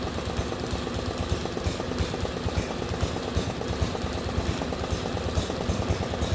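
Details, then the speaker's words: Lawn mower engine just fitted with a new aftermarket Amazon carburetor runs rough with lumpy, surging and sagging chuffing, taking about 20 seconds to pick up rpm as if starved of fuel; cause suspected, not confirmed. "It took forever to pick up RPM, like it wasn't getting enough fuel, and I just sat there and watched it."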